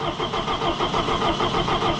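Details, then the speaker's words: Allis Chalmers 175 diesel tractor, cold, just reassembled, fuel system opened so air got in (it has had air-in-fuel trouble before): steady rapid starter cranking with even compression pulses but no firing; air in fuel system, long crank no start. "Okay. It's gonna take some cranking. There's air in it."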